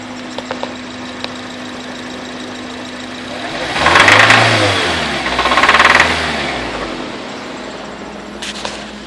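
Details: 2005 Acura RSX Type S, 88,000 miles, idling with light knock that persists when revved twice; no check engine light, new oil and filter didn't fix it; cause unknown.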